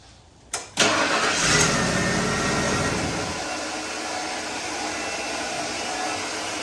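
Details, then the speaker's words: 1995 Ford F150 no-start (it had just been clicking) with a loose starter connection: a steady high whir continues after the key with no cranking or firing, the starter staying engaged while the Bendix fails to spin the engine. "well that's not good that's your starter staying on yeah that's not good"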